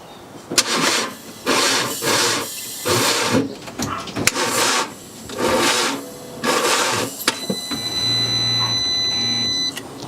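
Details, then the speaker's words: 2013 BMW F31 318d with engine knocking, broke down on first drive: starter turns engine in short laboured bursts about a second each, far too slow to start; internal binding suspected, not confirmed. "okay so yeah crank sha was definitely turning but just turning way too slow to even warrant a start"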